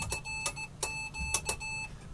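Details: Homemade Morse keyer, ruler paddle, sending a name: clean high beeps in short and long bursts, sharp starts and stops, steady pitch; keyer working properly.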